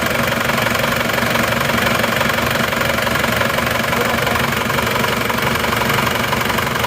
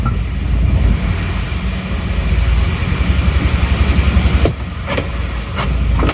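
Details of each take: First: Reference Isuzu Panther diesel, older but freshly overhauled without piston replacement, idling on a morning start: even, steady clatter, smooth unchanging rhythm, quieter with even engine shake, no odd knocks; normal diesel idle for comparison. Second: Isuzu Panther diesel (LV Adventure) from Madura, owner complaining of rough sound: low, slow idle with uneven lumpy beat and shaking engine; mechanic suspects idle rpm set too low, and a noise possibly from the fan belt, not confirmed.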